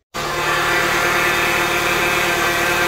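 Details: Peugeot whining before replacing the power steering pump: steady high whine holding constant pitch over a quiet idle; owner attributes the noise to the power steering pump.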